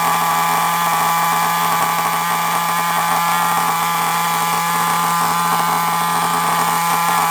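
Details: Nitro-powered FTX Carnage RC car starting up and running: steady high-pitched buzzing drone with an even, unbroken note and no stumbling or surging; small nitro engine running cleanly.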